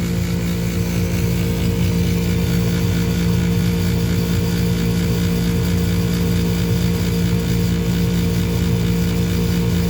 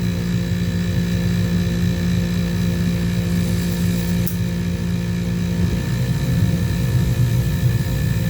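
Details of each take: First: Furnace motor runs with a loud steady hum and rough fluttering rumble underneath from a worn motor bearing. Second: Home furnace after replacing the noisy draft inducer motor and retightening a loose mounting screw: steady even hum of constant pitch with no rattle or scraping; normal inducer operation.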